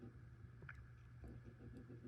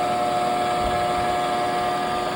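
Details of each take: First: Front roller of a 2020 NordicTrack 1750 Commercial treadmill (model ntl14129.9), about four years old, spun by hand on its good side: a quiet, even low hum with no grinding or rumble; the other side's bearing makes the droning noise. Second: NordicTrack 1750 Commercial treadmill (model ntl14129.9, from 2020, about four years of use) hums with a loud, steady droning tone; owner suspects a worn front roller bearing, likening it to a car wheel bearing, and replaces the bearings.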